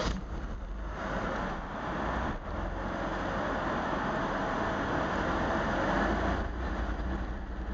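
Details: Mercedes R129 300 rough idle after misfiring once then twice: uneven, lumpy beat, roughly three pulses a second, dipping now and then; misfiring and running rough.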